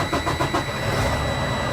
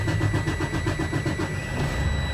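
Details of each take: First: Freightliner Cascadia DD15 diesel after oil change and fuel filter service, fuel system primed, in neutral: turns over briefly and catches straight away, settling into even idle; clean healthy start, oil pressure should jump up. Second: Freightliner Cascadia DD15 diesel restarted right after a fuel filter change: about six cranking pulses a second for over a second, struggling before stumbling into an uneven run; hard start from air introduced into the fuel system.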